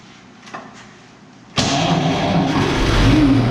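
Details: Barn-find 1931 Oldsmobile F31 after removing cork pieces, likely from a homemade cork fuel-bowl gasket, stuck in a fuel pump valve: a few clicks, then catches into a steady, even idle rising slightly; runs cleanly, fixed.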